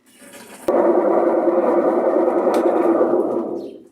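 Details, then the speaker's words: Maytag Atlantis washer in spin: tub turns but gives a loud, steady mid-pitched hum that dies away as it stops; transmission bearing is worn and rusted after water got in. The washer also won't agitate because of a stripped transmission shaft. "el exprimido si lo está haciendo si hace girar la tina y está girando el asunto es que zumba mucho hace mucho ruido al exprimir entonces en esta máquina la falla que tiene es que la transmisión ya no están funcionando bien y el balero de la transmisión está tumbando mucho ya le cayó agua ya se óxido"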